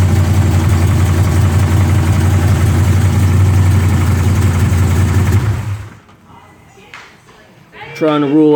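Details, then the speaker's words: A 454 V8 idles with a steady, fairly even knock near three per second over the low rumble; the owner is trying to rule out a rod knock or a broken flex plate, and it is loud when driven. Unconfirmed. "rule out if that's a rod knock, broken flex plate. We have no idea, but it's loud when you drive it."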